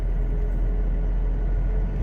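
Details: Aggressive mud-terrain tires (four, fairly new, from a Suzuki Caribian) heard from inside a 2-year-old Toyota Revo at about 70 km/h; deep constant rumble and drone with no rhythm or knock, loud from the rear: mud-terrain tire roar.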